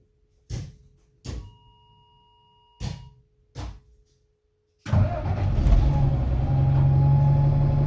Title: Won't Start & Nice Whine - Stagecoach Cumbria Alexander Dennis Enviro 300 E300 27748 PX11 DNJ